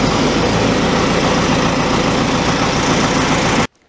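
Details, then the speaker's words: Oliver Super 55 diesel tractor after re-sealing its American Bosch PSB4A injection pump, fired right up after cranking with white smoke; steady fast even diesel knock without misses, better throttle response, until shutdown; normal running. "for a split second there I was worried I the timing up but she took off and went so it runs a lot better he's got more throttle response"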